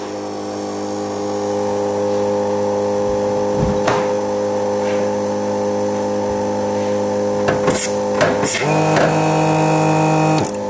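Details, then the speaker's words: Mercedes 190SL electric-vehicle conversion, key on: brake vacuum air pump runs as a quiet, steady electric hum with light clicks, quieter than the fuel pump circulating water; pump sounds healthy and smooth. "That air pump is so quiet, it's unbelievable. That's the air pump. That noise is the fuel pump. Fuel pump is actually louder than the air pump now."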